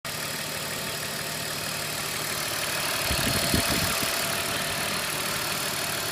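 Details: BMW E39 525i M54 idling: light, fairly even tick about three to four times a second with a slightly wandering idle; knocking VANOS unit with unstable idle.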